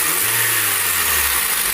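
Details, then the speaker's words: 2013 Honda Civic petrol engine revving smoothly after replacing the complete accessory belt tensioner assembly, which caused a rattle when the A/C was switched on: even revs with no squeal, chirp or rattle. "teresa ai galera perfeito resolvido aí tá"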